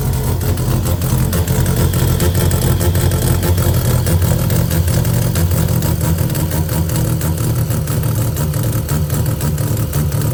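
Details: Mazda 12A bridgeport rotary idling with an uneven, stumbling beat and irregular dropouts in the exhaust pulses; the owner is unsure whether the misfire is electrical or something else.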